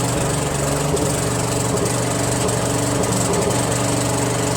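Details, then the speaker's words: Second Troy-Bilt lawn tractor with Briggs Intek engine, original carburetor: steady drone with a slightly uneven, lumpy beat that won't smooth out; the mixture screw does little, so the carburetor is being swapped for a Walbro. "I've been fiddling the fuel mixture screw quite a bit doesn't seem to really do anything you know so I'm just gonna swap it with a walbro"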